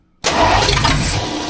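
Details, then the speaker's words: Rebuilt budget-build 302 V8 in a tow truck, first start after fitting the clutch, flywheel and distributor, helped along with starting fluid. It catches with a loud, rough burst, runs ragged and sags within seconds; it fires but won't keep running. "We've got her super close to busting off, guys. Give her a little sniffy sniff. I don't expect it to run good or sound good. I just want it to bust off for like 3 seconds."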